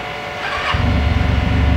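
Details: Used 300cc twin-cylinder motorcycle, about 19,000 km: short crank catches at once and settles into a steady even low thrum, no knocks or misses; healthy start and idle.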